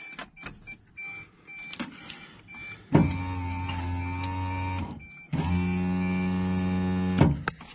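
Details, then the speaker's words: Suzuki X-90 driver's window motor, removed, cracked, broken and wet with moisture, window went down but not up: two even whirring runs of about two seconds, steady pitch, no grinding; motor runs but is being replaced anyway. "after getting a better look at this motor i've decided to just replace it anyway"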